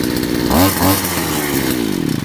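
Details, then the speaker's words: Grass trimmer (brush cutter) before the flooding demo, started first pull and revving crisply into a steady, clean buzz with no misfire or stumble; normal running. "мотокоса працює, все добре, але чому люди її перекачують?"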